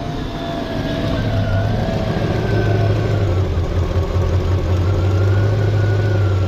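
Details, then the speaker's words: LT1 Chevrolet Caprice, original Optispark cleaned and resealed, cold: deep steady idle with even pulse, no misses or knocks; no leaks and the earlier bad ticking noise gone, slight hesitation felt. "That's not leaking. It's running. Sounds like smells like the same nasty Caprice that I always had. I guess there's not much I could tell. I don't hear a bad, super bad ticking noise anymore."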